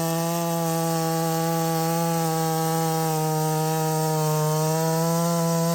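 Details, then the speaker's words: Redmax 5000 chainsaw, stock muffler, 16-inch bar, freshly sharpened steel RS chain, 8-pin sprocket, warmed up, cutting: steady high scream around 11,400 rpm in the cut with slight dips; pulls revs less well than with the 7-pin sprocket. "but I did notice that it was not able to pull the RPMs nearly as well with that 8 Pin sprocket as it did with the seven which makes sense right"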